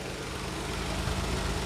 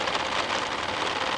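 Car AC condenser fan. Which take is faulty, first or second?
second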